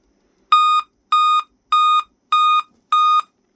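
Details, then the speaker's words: Dell Inspiron 11-3162 laptop at boot: loud sets of five evenly spaced beeps repeating nonstop, meaning a dead CMOS battery; fix is replacing it. "So there's a model of this laptop. And it'll basically do that nonstop. And what it means is it's the CMOS battery's dead"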